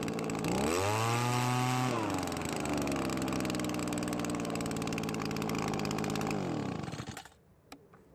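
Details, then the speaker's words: Well-used Echo leaf blower that often wouldn't start or died after a minute, after major carburetor adjustment: small two-stroke revs up, hangs, then sags to a thin buzzy run before dying; low compression, very low power. "the blower works but it is very low on power as to be expected"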